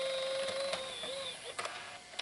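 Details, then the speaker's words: JVC GR-AXM100U VHS-C camcorder with VHS Compact cassette just loaded: thin steady motor whine with light clicks as it rewinds, no grinding or squeal; normal rewind mechanism. "Ese otro también como que rebobina, también es normal."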